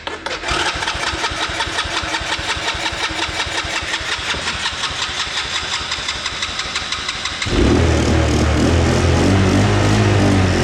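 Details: Kids' 125cc Chinese ATV that was slow to start, with the carb being cleaned and a carb screw set at four turns: engine catches and runs with an uneven, stumbling beat before revving harder; rough running traced to a worn spark plug.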